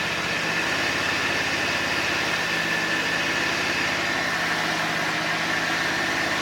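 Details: John Deere X540 mower twin after replacing two failed ignition coils that caused no spark and no start: runs steadily at an even, unchanging speed with a faint high whine, no misfires or stumbles; runs healthy.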